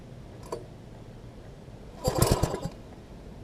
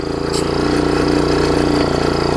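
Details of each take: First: Old MTD front-tine tiller with fresh fuel, tank two-thirds full: weak, uneven run with ragged spits and sputters, as if over-choked; cause found to be throttle linkage hooked up wrong at the carb, runs great once fixed and adjusted. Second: MTD front-tine tiller small single-cylinder engine after hooking up the throttle linkage correctly to the carb and adjusting throttle: quick even pulse, steady note; normal smooth idle.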